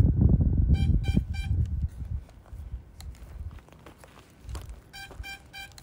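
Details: DJI FPV drone's find-me locator: after handling noise, quick groups of three bright beeps repeat about once a second, triggered from the DJI Fly app while standing over the downed drone.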